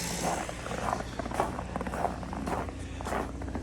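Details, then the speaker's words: 2015 Ford Taurus 3.5-liter V6 that cranked but wouldn't start or stalled after seconds, at -4 degrees, after replacing a control module: steady low idle keeps running evenly past five seconds with no stumble; normal idle, fault fixed. "And lo and behold, the car's still running. That was the issue."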